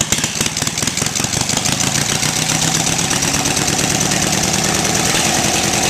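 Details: 18 HP Briggs & Stratton opposed twin off a Craftsman mower, electronic ignition, cast iron, first startup on choke before Terra Jet install; cranks briefly, catches, even steady run, no misses or knocks; normal start and run.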